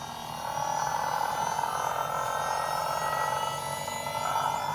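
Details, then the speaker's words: Holden Astra electric power steering pump in an AU Falcon skid car, wired straight to the battery, wheels off the ground: spools up in half a second to a steady, even mid-pitched whine, no grinding or surging; running normally, no leaks. "Fucking hell. Got power steering, I think. No leaking, which is a plus. I think it's working."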